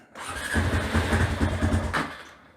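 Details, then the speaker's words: Honda TRX350TM Rancher 350 ATV, ridden hard, smokes, engine noises, cylinder looks newly replaced; catches and rumbles unevenly under two seconds then dies — starts but won't keep running, cause not yet known. "Now you may be wondering, what do I mean when I say it doesn't run well? Well, let me show you. It runs a little better than that."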